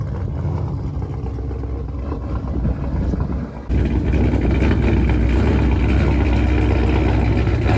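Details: 426 Daytona V8 (oil changed about 3,000 miles ago, oil very black and low) idling after sounding bad on startup: loud lumpy uneven idle with faint tapping; owner suspects rod knock, cause unconfirmed.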